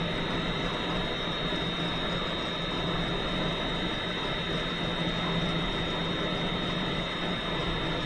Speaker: this spins this valve so we get it nice and true all the way around this spins the blade and pumps the lubricant trying to come in and we're going to bring the blade in so you hear it touch